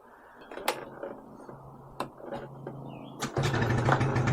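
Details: 1986 Yamaha Razz two-stroke scooter, after repairing a carburetor float valve that overfilled and gushed fuel (ethanol blamed), plastics refitted: a few clicks, then it fires first try and settles into a quick, steady buzz, smoky but leak-free. Normal start.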